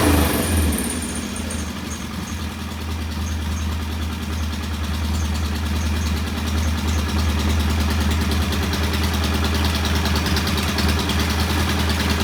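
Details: Norton P11 competition twin, after cleaning debris from pilot jet (choke needed to start): steady, even burble at a set 1,000 rpm idle, no misses or knocks; healthy, well-set idle.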